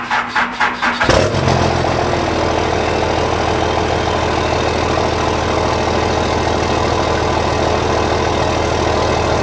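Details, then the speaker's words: 2nd-gen Cummins diesel truck after sitting 5 days: slow, labored cranking under three turns a second before it catches and settles into idle; weak cranking, owner suspects bad battery cables. "So you could tell when I was cranking it that it didn't have full power. It sounded like it almost wasn't going to start because of the battery cables."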